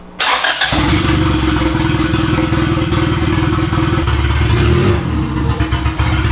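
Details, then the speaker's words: Boosted B18-swapped Honda Civic EG hatch after swapping mixed-up MAP and TPS connectors: engine holds a lumpy, uneven idle with wavering beat but now responds to throttle, which it didn't before; rough running. "so at least it's reacting to throttle now though cuz before it wasn't reacting to throttle at all"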